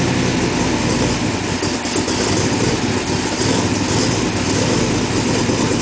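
Steady, even engine note with no misses, knocks or ticks; the engine settles into a smooth idle and sounds healthy.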